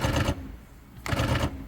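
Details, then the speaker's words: 2014 Jeep Patriot, 85,000 miles, power door lock jumping around on its own: two bursts of rapid buzzing clicks about a second apart; it unlocks fine but won't lock, a failing lock actuator built into the latch. "anytime I've ever seen one of these it's always been the lock actuator on these in particular the lock actuator is part of the latch"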